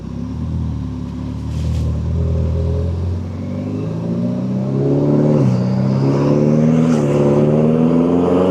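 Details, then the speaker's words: Ferrari 488 twin-turbo, 12,000 miles, on test drive after failed turbos replaced and oil changed: engine note climbs smoothly with rising tone swelling under load; turbos spooling healthily, no dash lights other than tire pressure sensor and number plate lamp. "No lights on the dash other than a tire pressure sensor and number plate lamp. I could hear the turbo spooling."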